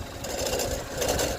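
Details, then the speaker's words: 2017 Chevy Equinox, recently bought, no engine light, after running over 10 minutes warm idle: uneven light clatter pulsing a few times a second over the engine, absent when first started; abnormal noise, cause unclear. "Had her started now for over 10 minutes. Wasn't making that noise. Um, but it's now it's making that noise."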